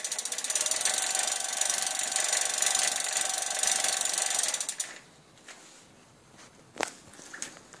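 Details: BBS01 mid-drive e-bike motor clicking: fast, even ratcheting clicks of about four a second while the motor runs, stopping when it stops.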